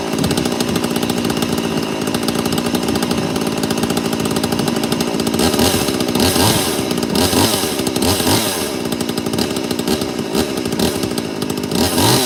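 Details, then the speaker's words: 86ER two-stroke chainsaw with an opened muffler deflector, spark arrestor screen removed and a 10mm hole drilled: idling and blipping with a dry metallic rattle over the buzz; worn bearings are suspected. "So if I fire up, you'll probably hear the bearings."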